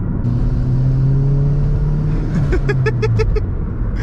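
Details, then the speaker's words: Turbocharged Toyota Corolla 1.8L 1ZZ-FTE on base map during break-in, full-throttle pull to 60 much faster than before: strong smooth engine climb, brief chirps of front wheelspin from worn tires at tread wear markers; normal turbo acceleration. "we got to 60 on that pull that is significantly faster than we could get to 60 before and we didn't blow it up let's go this is awesome"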